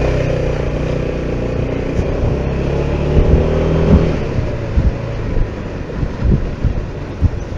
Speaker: да все друзья никакого стука нет все просто превосходно вот тут у нас неровный полигон специально для таких проверок